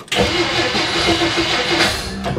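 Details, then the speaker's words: 1957 Plymouth barn find parked over 20 years, spark confirmed, starting fluid added over rotten fuel: continuous cranking with a few uneven pops, never settling into running. Fires briefly, no start; owner plans to disconnect fuel supply and drain tank. "It's trying. It's trying. We got to disconnect the fuel supply."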